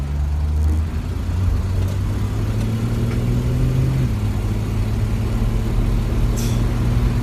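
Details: 1968 Ford Mustang coupe, 200 ci inline six, 243K miles, never rebuilt, driven accelerating under light throttle out of a turn through 50 to 60 mph: low, even drone climbing smoothly, no knocks or ticks. Runs normally.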